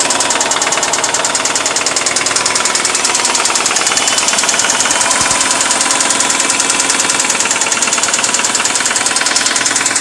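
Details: 2002 Subaru WRX wagon, EJ20 with 60k miles fitted five months ago: loud rough running with a fast uneven tick from the right-side head; idle dips, rises and shakes; plugs and timing look normal; owner suspects rod knock or valves.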